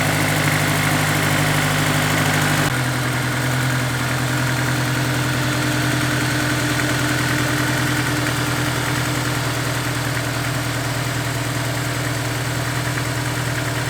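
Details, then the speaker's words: Honda S2000 idle after installing a Ballade Sports timing chain tensioner, recorded away from the intake and vacuum pump: smooth, even low hum with no chain chatter or ticking; much quieter than before, sounds healthy. "I can already hear a difference the TCT is doing its job sounds much quieter much less sticky"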